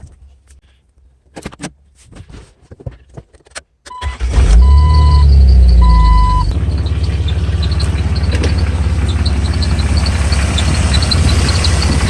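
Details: Jeep Wrangler engine starts and idles with a quick, high, cricket-like chirp about three times a second from the accessory drive; suspected serpentine belt, tension idler pulley, water pump or power steering pump, unconfirmed.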